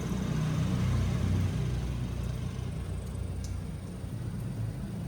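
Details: Refrigerator condenser fan after new motor: steady low hum with faint whir, smooth, no rattles or scraping; old motor was defective, noisy and slow, causing weak cooling.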